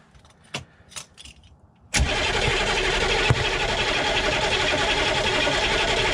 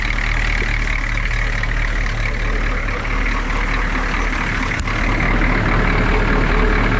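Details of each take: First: Humvee diesel after valve cover gasket and fuel line work, cranked with the injector lines finger-loose to purge air, no fuel coming out yet: a few faint clicks, then a steady fast crank with no firing; air-bound, not starting. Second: Humvee diesel at idle just after valve cover gasket replacement (CDR valve, intake and fuel lines also removed and refitted): steady low rumble with even clatter, no misses or knocks; oil pressure and voltage good, normal idle.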